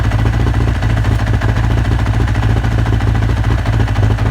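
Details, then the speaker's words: 1983 Honda CB1000 motorcycle at first start after cleaning: low, lumpy idle with an uneven chuffing beat; one cylinder, likely number two, not firing, spark plug suspected but unconfirmed. "let me play the video so we can you can even see that it's working a little bit rough so that basically the the one of the cylinders was not really firing"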